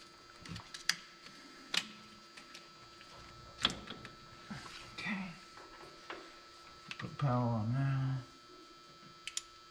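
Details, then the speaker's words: 1953 Mack A40 with swapped-in 24-valve 5.9 Cummins diesel from a school bus, key-on test: a few sharp dry clicks from the pump, then a second of low buzzing hum; no fuel heard at the transfer pump, lift pump suspected dead. "can hear the pump click it's not getting anything at the transfer pump not that I can hear so I guess we really didn't really do need a new lift pump"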